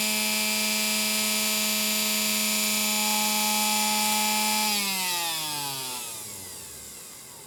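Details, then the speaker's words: Singer sewing machine motor, first run after arriving; steady high whine at full speed with faint dry rasp and possible faint internal rattle, pitch falls smoothly on coast-down; pulley-end bearing sounds dry; good power. "well to my trained ear i don't know what you can hear through the camera other than it's sounding a little bit dry on the pulley end over here other than it's sounding dry and i might hear a little bit of a rattle on the inside it's just real faint"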